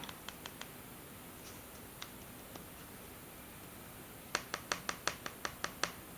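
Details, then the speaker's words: BlackBerry Priv slider phone whose screen is being pressed. Crisp light clicks end in a quick run of about six per second. The sliding mechanism is suspected, with a screen corner slightly bent, but this is not confirmed. "many users also have I also have it is a clicking clicking on the screen and you can simply test it by uh this let me show you what I mean you will hear I hope you will hear a sound when the displays"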